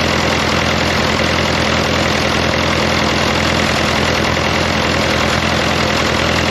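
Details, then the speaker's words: Fordson Power Major Malcolm Moore crane diesel, first run after sump reinstallation, running about 20 minutes total: steady even idle, firm low rhythm, no knocking, occasional faint pops; normal idle with occasional pop. "Back here I can actually hear it's running pretty good. It does pop a little bit every now and then, but it's been running for all of 20 minutes maybe all up since I've had it."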